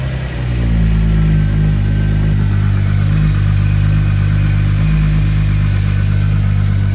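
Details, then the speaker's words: 1984 VW Rabbit GTI with VR6 swap after fuel system rework, fuel emptied: even low starter churn about four turns a second without catching while the pump, which runs only while cranking, primes fuel; checking for leaks. "It's obviously going to have to prime fuel because all of the fuel is out of it now. But, I'm going to crank on it and see if I have any leaks."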